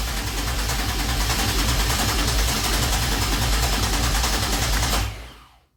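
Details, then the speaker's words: 2004 Pontiac Grand Am 3800 supercharged engine swap, first start attempt after wiring harness, with starting fluid: fast even cranking about five seconds, tries to fire but won't start; owner suspects fuel or spark. "Y'all heard it a few times. It tried to start. So it's definitely got to be something with the fueling or the spark."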